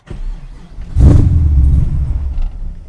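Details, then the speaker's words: Naturally aspirated big-cam LS7 V8 in a Datsun Z, Gen IV ECU idle tuning: catches with a loud burst, then the rumble sags and stumbles as if about to die, no throttle given; idle airflow too low at start. "so right there it wanted to die i didn't give it gas um to keep it running"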